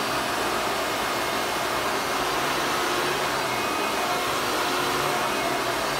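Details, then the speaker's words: 1993 Hoover Legacy Supreme upright vacuum: the motor runs with a steady, very loud, high-pitched roar and airy hiss, with no pulsing. Owner says the motor needs grease and a fix or rebuild. "I wanted to turn it on for you guys because you know what guys you might end up turning down your volumes okay it's gonna be real real loud"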